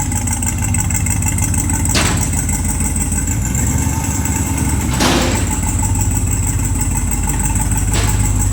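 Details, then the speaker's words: RAM TRX with a freshly installed junkyard engine, rough idle with a hollow exhaust whoosh surging about every three seconds and lots of oil smoke in the exhaust; owner suspects it's breathing through a stuck-open wastegate, unconfirmed. "So that's what it is. It's breathing through the wastegate."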